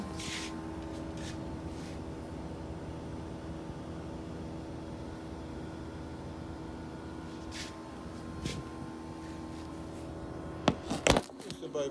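Steady, even low hum with a soft fan rush and no knocking or rattle; this condenser runs smoothly and quietly.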